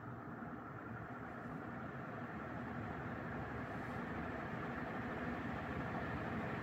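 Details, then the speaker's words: Second mid-to-late 1980s 56-inch industrial ceiling fan, possibly HRS, on high speed: steady even whoosh and soft motor hum, no clunks or 60-cycle hum, no loose motor bearing; runs smooth and healthy. "this one here seems to run a lot smoother than the first fan it seems to not have that loose bearing situation on the motor so this one here is perfectly smooth no cluns or 60 Cycle HS to this one runs about the same"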